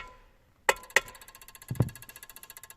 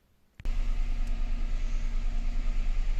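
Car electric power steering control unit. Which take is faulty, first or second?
first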